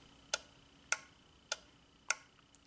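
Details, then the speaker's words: 2003 Honda Element EX 2.4L, A/C condenser fan relay cycled by a relay tester: crisp, even clicks about every 0.6 seconds; relay tested good, and the fan itself is the fault; normal relay clicking. "can you hear it clicking it's opening and closing that relay that's the relay clicking"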